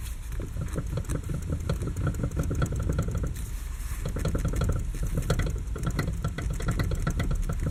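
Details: 6-year-old Lada Kalina, wheel rocked quickly: rapid irregular clunks and clatter. The loudest knock comes from the electric power steering, the rest from the steering rack; the joints have only slight play. Steering knock, rack suspected.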